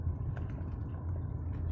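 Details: Mercedes-Benz driving over bumps after replacing front sway bar bushings: low road rumble and soft thumps, no squeak from front suspension.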